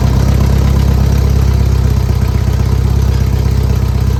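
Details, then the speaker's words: 1967 Volkswagen Beetle air-cooled flat-four after repair (new motor mounts, oil cooler O-rings, fixed exhaust stud, suspected rod knock); steady, deep, even idle with no knocks or ticks; issue resolved, engine healthy. "Everything seems to be fine with the car. Everything seems to be all right with the motor. I believe our issue is resolved."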